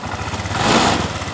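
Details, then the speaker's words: Honda Vario 125 scooter that had died when throttled, after fuel pump fix raising pressure from 20 to 42 PSI: even idle and a clean throttle blip with no stumbling; normal idle. "jadi sudah tidak ada brebet tekanan sudah berada di 42 PSI"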